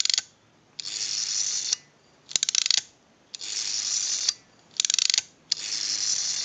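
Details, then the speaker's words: AE candlestick rotary dial telephone with the governor installed, dialed three times: each return gives a crisp burst of ratchet clicks and then a smooth whirr, showing the dial ratchet works properly; normal dial ratchet. "we want to go ahead and dial if you hear that sound effect the ratcheting noise the ratchet that's working properly"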